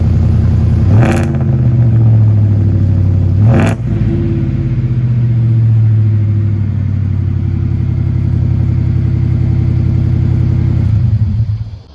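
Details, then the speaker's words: Ford F150 5.0 Coyote V8 at idle after replacing the stock exhaust (holed resonator) with a new Flowmaster 3-inch resonator-delete exhaust and 4-inch tip. Deep, even burble with two sharp rev blips, pitch rising and falling cleanly, no rattles or leaks; normal, healthy exhaust note. "That sounds great. I'm really happy with that."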